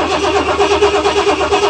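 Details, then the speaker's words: 1973 GMC motorhome, Oldsmobile 455 V8, cold start after sitting a few weeks: even, quick, unlabored cranking at about eight pulses per second, with little wind-over before it fires. Normal cranking; hardly an exhaust leak, no blue smoke, no miss. "Classic 455 wine and over sound. Uh-oh. That sounds awesome. I know 455s. Hardly an exhaust leak. No blues. Not a miss, a hiccup."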